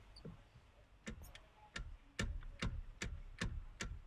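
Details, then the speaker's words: Chevrolet Spin with the crossmember and steering rack reinstalled: sharp metallic clunks, about two or three a second, as the wheel is rocked; the noise comes from a worn steering joint, not the rack. "Nah, setelah ini, saya akan coba menggoyangkannya. Suara itu berasal dari sambungan ini, bukan dari rak"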